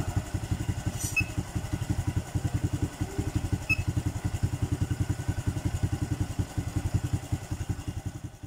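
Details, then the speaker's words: Honda Blade FI single-cylinder motorcycle idling after replacing the TPS sensor and loosening the intake valve clearance: steady, even quick exhaust pulses without stumbling; compression still weak, but idle and performance much improved over arrival. "Tapi untuk dari segi langsam ataupun performa, ini motornya sudah jauh lebih baik daripada yang awal datang tadi."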